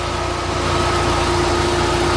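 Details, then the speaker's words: VW Bora GLI 2.0 turbo after timing chain, both camshafts, tensioner and cam cover were replaced to cure top-end rattle: smooth even idle, steady hum, no clatter; normal healthy idle. "no no no no y ya está terminado este motor tenía un sonido en las tapas de puntería se escuchaba como bustos descargados era la cadena se cambió la cadena los dos árboles el temblador y la tapa de los árboles"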